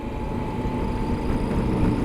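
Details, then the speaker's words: 2015 Yamaha Super Tenere, a parallel twin, while riding under throttle: a thin steady whistle and tapping over the engine drone. Engine noise under throttle, cause unknown. "there's like a little whistly tapping that's going on and it's under throttle like that's that's an engine noise that it's making"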